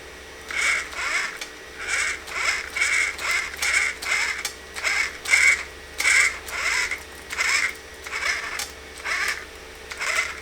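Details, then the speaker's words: RC crawler (2-door Mojave build) with a Zoku RC VS4-10 flat rail kit conversion, wheels turning. A sharp, high chirping squeak repeats about once a second. Owner suspected the transmission, but the gears checked fine. Drivetrain squeak of unknown source. "Interesting. I don't know why that's making that sound. Maybe there's something wrong with the transmission. Maybe I'll have to take that apart. I did. It's definitely not the gears. The gears are fine."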